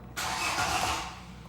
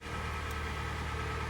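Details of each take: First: Hyundai i40 G4NA engine, 113,000 km, first start after repair of scored cylinders: cranks and catches cleanly, runs evenly with no knocking or tapping, no fault codes; normal start. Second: Hyundai i40 G4NA engine, 113,000 km, cold: idles with a dull, even rattling knock under the hum, from scored cylinders; piston slap.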